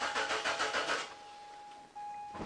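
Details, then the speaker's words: Mazda 626 petrol with an intermittent no-start: starter churns about five beats a second for a second, never catches; voltage reaches the fuel pump but it draws no current, open circuit, pump needs replacement. "but we have voltage there so it appears that the fuel pump is now open circuited which is what I expected look guys I can go ahead confidently and say that this fuel pump needs replacement"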